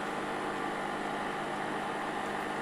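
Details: Aldi Adventuridge thermoelectric cooler running on DC at about 58 W: a constant rough, hissy whir with no rhythm or speed change; the worn cooling fan is very noisy but the cooler works.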